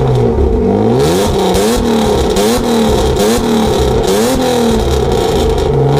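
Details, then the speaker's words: BMW 325i E36 with a freshly rebuilt M50B25 six, rebuilt to recover lost compression, with a new custom exhaust, after the cooling system was bled. Loud, crisp revs climb and fall cleanly with no tapping or clatter, the earlier engine knock now gone. The engine is healthy. "voilà vous l'avez entendu ça réveille un peu les morts ça fait beaucoup de bruit quand même mais pour une utilisation occasionnelle c'est bien"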